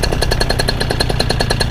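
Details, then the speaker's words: Two-stroke paramotor engine during a preflight ground run, fuel filter primed via primer ball: loud, even buzzing with a steady pulse of about eight beats a second and no misses or surging; running cleanly and good to go. "so it runs good we've been running them so it's pretty much good to go"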